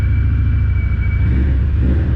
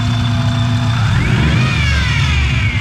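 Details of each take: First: Car first start after the project was finished. Initially idled a bit high, possibly something stuck slightly open; now settled. Deep, steady idle with even firing and no stumble or miss. Running smoothly; cracked, corroded exhaust pipe noted. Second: Car with a just-finished engine job, revving: a loud screech rising and falling with each rev. It persisted after about 10 minutes of bleeding; the power steering pump is suspected bad, and a spare pump from the old engine is available.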